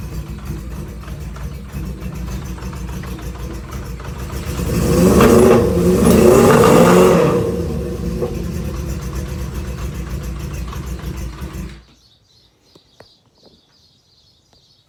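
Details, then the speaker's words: Honda CB550 cafe racer project, unknown time off the road, first start on choke: it fires easily and idles a little lumpy, revs briefly, then shuts off. Idle wants adjusting, not yet confirmed. "I don't know how long this bike has been not running. I didn't get all the information on it, but she fired up pretty easily. And it sounds like I have a little bit of adjusting to do, maybe set idle or something, but not too bad."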